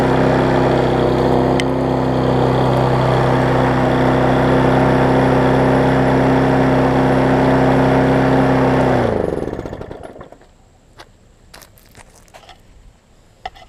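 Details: Husqvarna self-propelled mower after turning the throttle down a touch: steady, even drone for about nine seconds, then cuts and winds down smoothly; normal running.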